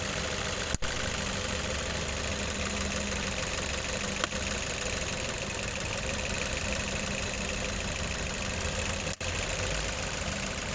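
Steady idle with an occasional sudden stumble, about three dropouts in eleven seconds; sounds like an intermittent misfire. Cause suspected, not confirmed.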